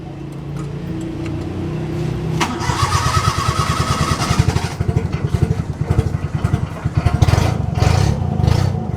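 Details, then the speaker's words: Suzuki Bolan at idle after starting: loud raspy chuffing, sharp low pulses from near the exhaust manifold; worn silencer packing (exhaust donut gasket) leaking. "Today in this video I am going to tell you that there is a problem in this Suzuki Bolan car, that when we start this Bolan car we are observing heavy sound of silencer."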